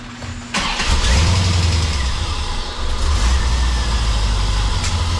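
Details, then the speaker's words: 1990 Corvette V8 after replacing a worn distributor with a new upgraded one: short crank, then it catches at once and settles into a strong, even idle with no misfire or stumble; normal start. "okay it started right up"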